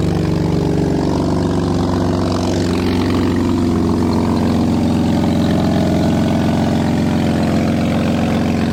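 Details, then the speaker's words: BMW E36 drift car, cold idle before an exhaust putty patch: loud, rough chuffing, raspy tractor-like exhaust note, said to quiet somewhat once warm; exhaust leak. "yeah so quiet down a bit after it actually gets up to temp but driving down the road it's pretty bad we'll get some gas it sounds terrible sounds like a tractor"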